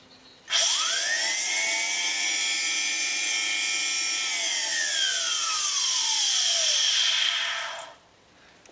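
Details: 2011 Mercedes-Benz C300, cold start complaint: secondary air pump powered directly, high drill-like screech spinning up, holding about seven seconds, winding down; worn pump bearings, jet-engine or circular-saw sound.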